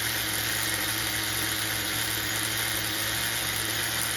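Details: HPI MT2 nitro RC engine after carburetor tuning (bottom leaned, top richened), tank nearly full: a steady, even, buzzy idle that holds level without surging, believed to be single-stage, still slightly rich.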